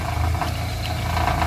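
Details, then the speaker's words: Chevrolet Vectra engine revved after driving over a speed bump dented the sump guard (skid plate) against its bolt. Low, uneven knocking and tinny rattling as the guard hits the oil pan under acceleration; fix is to knock the guard back out. "o problema aqui foi isso aqui ó eu passei numa lombada ó e o protetor de carter quase afundou o parafuso aqui ó aí toda vez que acelera ele fica batendo aqui trepidando aqui ó"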